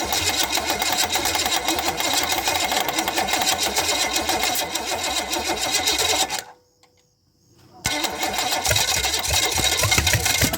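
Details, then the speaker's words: $50 used Chevy small-block 305 V8 of unknown history, with carb fitted, float bowl filled: fast steady whirring crank at about three and a half pulses a second that never catches; cranks but won't start. "you know that's just the starter making that noise i think"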